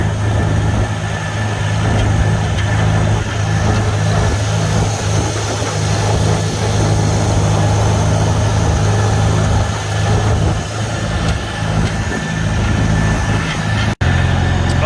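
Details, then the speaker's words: 1954 Farmall Super C tractor driven in third gear: steady low drone with faint gear whine. No chatter that would suggest broken gear teeth; normal transmission in third. "yeah sounds good I don't hear nothing funky or chattery like there's broken teeth in the gears or anything"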